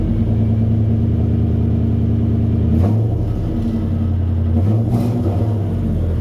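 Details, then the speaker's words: 1996 Chevrolet K1500 V8, running much better after revival: fast, steady idle that won't settle even after a throttle blip. High idle; owner suspects the idle air control valve. "I was telling YouTube, I said it might need an outer air control valve because it ain't idle back down yet. And it ain't like no old carburetor. I tried patting the gas to see if it would come down, but it never did."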